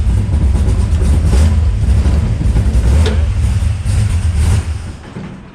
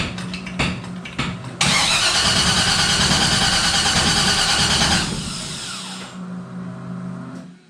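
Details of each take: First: Henry J Gasser being sorted for wiring issues and running on, fired up with the fuel pump switched on: a deep, steady low rumble with a few throttle blips, running evenly without stumbling. Normal running. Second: Henry J gasser, not run since a car show, rewired ignition/kill switch, fuel pump off: steady cranking about three beats a second, never catches; crank no start, lack of spark suspected, unconfirmed.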